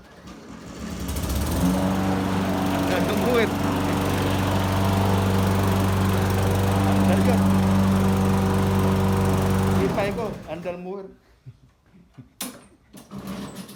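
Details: Lawn mower that previously would not start or died, now fixed: the small engine holds a steady, even drone at constant speed for several seconds, then shuts down cleanly. Normal running.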